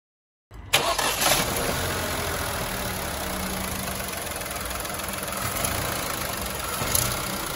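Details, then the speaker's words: Renault/Dacia TCe 1.0 (H4D) petrol engine catching and settling to idle with a light metallic rattle, also heard on deceleration. Cause is play or misalignment of the turbo wastegate rod at the rear of the engine; it doesn't affect running. "It's possible that when you release the accelerator, you might hear a metallic, rattling noise from the engine."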